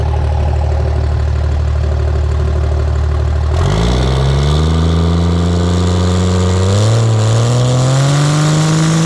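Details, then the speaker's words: Pro street truck on a freshly installed Motec M141 during first start-up tuning, fuel pressure sorted: steady even idle then clean smooth free revs with no misses or knocks; normal idle and free revving. "Since you guys last saw it, we've got it idling, free revving nice."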